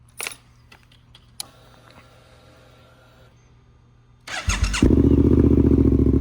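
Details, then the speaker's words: 2024 Suzuki GSX-8S with newly installed Delkevic 9" oval carbon full-system exhaust, fired up and given a couple of revs: deep loud even burble with crisp revs; strong healthy engine. "Sounds awesome. Really love that sound. Now it sounds like a nice, powerful motor with lots of noise behind it, which is good."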